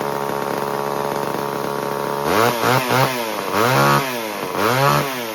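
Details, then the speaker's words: 1978 Homelite XL12 two-stroke chainsaw, started on the fourth or fifth pull after years of sitting: it idles steadily and blips up and back cleanly, holding its tune after running slightly lean with a bog at first; now healthy. "How about that? That was a little too easy, wasn't it? Like four, fifth pull."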